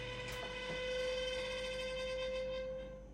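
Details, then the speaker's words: 2010-and-up Samsung range oven: steady high-pitched squeal over the fan hum from the convection fan motor inside the oven; motor to be replaced, probably a dry bearing. "if you have a 2010 and up samsung range oven you might be encountering a noise like this an awful squeaking noise if i open it up the oven stops but you can hear the noise clearly it's coming from the [Music] convection motor that runs the fan inside the oven"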